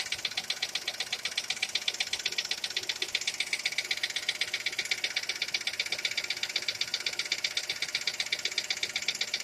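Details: Skoda Fabia engine at idle: sharp, metallic ticking knock at about two to three per second, very regular, over a quiet idle; engine knock whose cause is still being sought.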